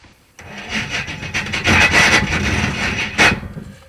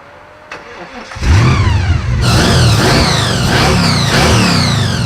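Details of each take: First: 1974 Jaguar drag car with swapped engine cranking: harsh rasping grind in bursts as the starter fails to mesh cleanly; the starter was found loose and falling off, dangling, then refastened. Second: 1974 Jaguar ("Draguar"): after new carburetor needles and seats were fitted to cure a suspected stuck needle and seat leaking fuel from the boosters, engine cranks, catches quickly and revs cleanly in smooth blips, settling without stumble or misfire; runs healthy.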